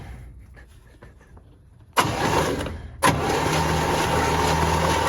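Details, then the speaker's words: 1966 Cadillac Eldorado that sat about 40 years: the starter churns it over quickly on a Cummins battery, a few steady turns a second, but it never fires or catches. Crank, no start. "There you go. She kicking over, but she ain't catching."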